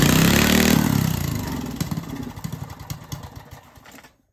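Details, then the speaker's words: Old Briggs & Stratton single, just refitted with a coil from another old Briggs engine, started in cold snowy weather: it catches and runs, firing pops slowing over a few seconds before dying; spark is good, it needs choke to keep running. "It starts. It just needs some choke movement to keep it running. I'm going to start it up and show you, prove that it runs now."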